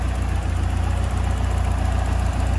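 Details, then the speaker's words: Ford Fiesta RS Turbo after 17 years' storage, on a Renault 5 pump, heard at the exhaust: steady, even low idle with regular firing pulses, no misses, knocks or hunting; engine running sweetly. "Can't beat that sound. So, our Renault 5 pump's holding up, doing its job. The engine sounds sweet."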